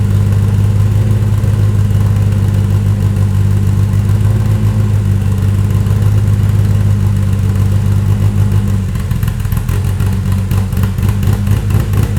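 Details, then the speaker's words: Toyota 2.7L 1AR-FE in an MR2 Spyder on a Haltech Elite 1500 ECU, stock except 280° cams and valve springs, intake cam advanced with idle raised: steady loping idle with an even rhythmic lump. Healthy, no knocks or misses. "there you go i love variable valve cap i love variable valve timing it's got nice little lope"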